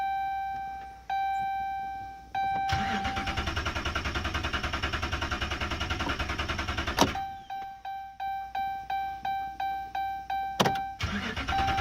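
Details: 2011 Ram 2500 Hemi V8: a door chime pings, then the starter spins the engine at a steady pace for seconds without a single firing. It cranks but won't start, repeatedly.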